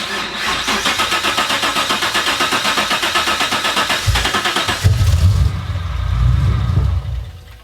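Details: Car with a used Magnuson supercharger kit just installed, first start-up: uneven cranking chug for about four seconds, a brief low rumble as it catches, then dies; won't stay running, low fuel suspected.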